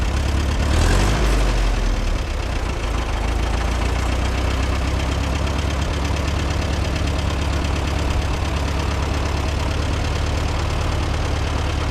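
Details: Co-op E3 tractor (about 1947) after years of sitting, later start, chains off: brief flare then steady even low idle, no knocks or misses; runs healthy.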